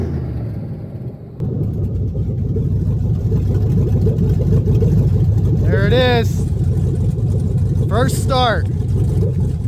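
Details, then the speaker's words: 1975 Suburban with a 6.0 LQ9 V8 swapped from a 2004 Escalade, first start with no exhaust or cooling system: loud, raw open-header rumble with an uneven, lumpy beat at fast idle. Runs rough; owner blames the missing O2 sensor. "missing an O2 sensor, so it's going to run a little weird."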